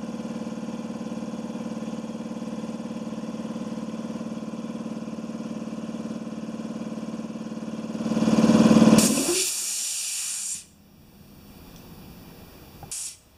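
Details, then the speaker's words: Compressor that sat 8 years, after cleaning varnish from the check valve and adding a pressure switch: steady even pumping drone, then hiss and motor cutting out at pressure, about 135 psi, regulator 110; healthy cycle. "that's running good"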